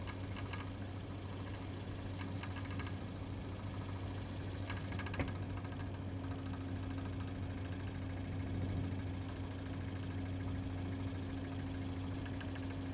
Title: Weird noises